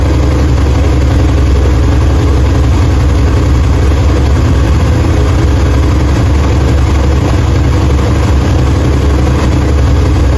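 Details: 1968 Chevrolet Impala 454 big-block V8 after head gasket replacement, at a deep, even idle with no knocks, ticks or stumbles. Runs smoothly, with 60 psi oil pressure and about 180 degrees on a new Griffin radiator with dual fans.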